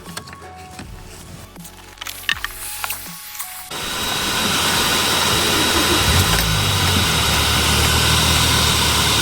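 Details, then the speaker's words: Toyota Auris 1.6 petrol, about 121,000 km, in freezing cold, just after replacing the noisy, non-charging original 100 A alternator and a stretched belt: fires, then a steady even hum with no squeal or knock; battery light off, normal running. "Chưa có lỗi gì. Chạy êm. Không có tiếng kêu rít."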